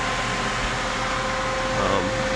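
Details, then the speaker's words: 1978 Corvette electric cooling fans running after a melted fan relay connector on the main power wire was pushed back on, a temporary fix pending a new harness: steady whooshing fan roar with an even hum, no rattle or surging; normal operation. "Alright, as you can see, we got fans now, or you can hear them running."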